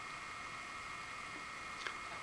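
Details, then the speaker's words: Bestron DCF52LSR ceiling fan, newly installed, at a faster setting: quiet, steady mid-pitched hum, a bit more humming than at low speed, with no ticking or wobble; the motor sounds normal. "you hear the motor making a very weak humming sound like hmmmm... hmmmm... and when you go faster"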